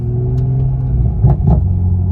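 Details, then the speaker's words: Toyota Supra in Sport mode, not fully warm: deep steady rumble with soft pops about a quarter second apart; exhaust burbles louder than before, owner plans to tune them out. "Okay, the burbles definitely sound a little louder. I don't know about you, I'm not a fan of the burbles."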